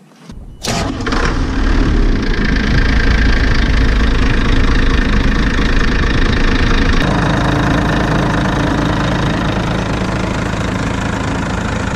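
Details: Diesel machine after a roadside breakdown with heavy belt squeal and stalling, suspected seized accessory, and fan bolts re-tightened: a quick start, then a deep, steady run that stays even with no knock or squeal; it sounds healthy.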